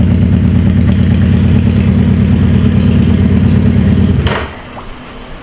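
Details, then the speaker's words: Wrecked 2011 Suzuki Hayabusa GSX1300R with pressurized cooling system, warming at idle: lumpy uneven stumbling pulse about three a second before cutting out; not firing on all cylinders. "some reason, it sounds like it's not hitting on all the cylinders. We could do the spray test. It don't sound like a 1300 supposed to sound."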